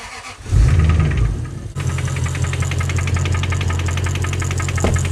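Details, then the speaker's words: Lexus GS400 V8 with 372,000 miles: cranks, catches and settles to a heavy idle with a harsh, rapid clatter on top; loud noise from inside the V8, cause not confirmed. "We all saw how the last video ended with that GS400. There was a huge noise coming from the V8."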